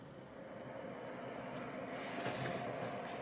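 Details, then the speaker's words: PC power-supply fan after deep cleaning, reinstalled in the PC: quiet, even airy whoosh at constant speed with no rattle, buzz or scraping; the earlier noise is gone, normal. "Y de nuevo pueden escuchar que el ruido desapareció."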